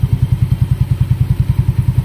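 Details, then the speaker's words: Yamaha Mio Sporty scooter idling after CVT refresh, checked only once a year, no tuning washer fitted: even low thumping at about nine beats a second with no whine or rattle; belt drive quiet and normal. "Ayun ganda, walang kakatunog-tunog. Okay din ang walang tuning washer."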